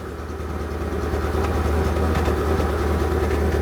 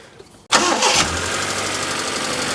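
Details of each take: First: Proton Satria 1.5 petrol idling with a misfire, heard and felt with a hand at the exhaust: an uneven, stumbling beat of about three lumps a second. A compression test shows hardly any compression on cylinder 1. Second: Proton Satria 1.5 with a misfire and low compression on cylinder 1: the engine catches quickly and settles into an even idle with a light, busy ticking on top. This is ordinary tappet clatter, not the fault.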